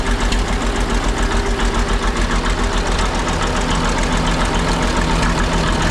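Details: Ex-military 1959 International dozer started after sitting months at a scrap yard, weak-sounding starter, smoke clearing after a couple of minutes: steady, even low diesel chug holding its rhythm with no knocks or misses; engine idling healthily.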